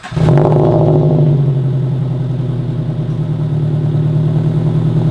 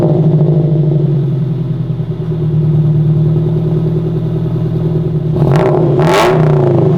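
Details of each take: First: Scion FR-S (FRS) after swapping the aftermarket front pipe back to a catted front pipe, heard in the garage shortly after startup before warm-up: far quieter than before, barely audible at idle; smooth even low drone, no rattle or rasp, healthy idle. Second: FRS in a garage, before replacing an aftermarket front pipe: heavy booming drone at idle swelling into loud raspy blasts on three quick revs, far too loud.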